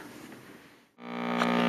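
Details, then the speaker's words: Heathkit T-4 switched on before repair, glowing-eye tube removed; loud, steady pure low AC hum in the audio circuit unaffected by volume, from failing dual-section can electrolytic filter capacitor to be replaced. "all right the uh unit is on you can hear the sound it's making the volume really doesn't do anything that's just pure AC hel in the uh audio circuit"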